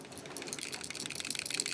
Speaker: and as you can hear it rattles because the cover will not open or close. So it's fresh out of the box, and this has no blade cover, which is really quite dangerous.